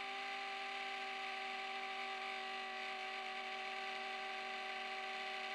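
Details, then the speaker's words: 2004 Apple PowerBook laptop hard drive with failing spindle bearing: harsh steady grinding rasp with fixed whining tones, clicking as it tries but fails to spin up fast enough to initialize, then spins down and retries. "So it's trying to spin fast enough to initialize, but it can't quite do it. Sounds like a horrible hard drive crash."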